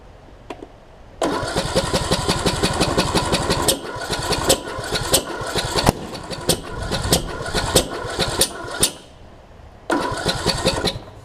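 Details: John Deere D110 mower after a rebuild following a detached flywheel magnet: uneven cranking bursts with coughing fires that catch and die abruptly. The owner suspects ignition timing is off from a sheared flywheel key, though the key appeared intact.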